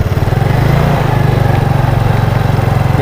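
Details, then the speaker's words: Yamaha Mio Sporty carburetor scooter after a test ride, engine nearly stalls at idle and coughs from the carburetor on deceleration: uneven lumpy single-cylinder pulse dipping toward stall; carburetor to be removed and checked. "kita balik lagi ke bengkel saat turun gas dia ada suara batuk bagian karburator"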